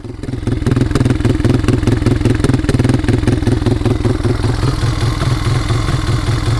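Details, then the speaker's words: 2022 Polaris Phoenix 200 quad with a history of hard starting, popping and sputtering; after work it idles with an uneven, lurching putter, rougher than it should be, though it runs acceptably under throttle. "I got it running right now you can hear it does have a really rough idle"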